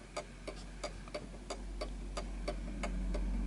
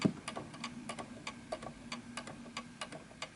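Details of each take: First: 1920s 8-day Napoleon hat antique mantle clock, pendulum just started after being set on a surface that happens to be level. Crisp, evenly spaced ticks about three per second with no limp: the clock is running in beat. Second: 1920s 8-day Napoleon hat antique mantle clock sitting on an uneven surface. Quiet ticking with the tick longer than the tock, fading as the clock keeps stopping. It is out of beat and needs calibration adjustment.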